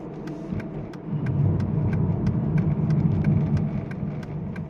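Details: 2009 Aston Martin DB9 Volante, engine running while the steering wheel is turned: light, regular ticking about three or four times a second; cause of the steering noise still unclear.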